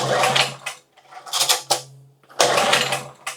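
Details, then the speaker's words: 2000 W generator bought used, fuel valve and switch on: separate recoil pulls, each a short whirring burst of compression puffs that dies with no firing; no start, spark and compression not yet checked with starter fluid. "Okay, we have nothing, which is totally fine."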